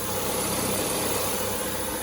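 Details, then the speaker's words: Peugeot 407 idling just after timing belt, tensioner and water pump replacement, A/C compressor running: smooth, even idle with no knocks, ticks or belt squeal. Engine healthy. "Terus ya cek-cek aja suara, memastikan. Yang suaranya halus ya."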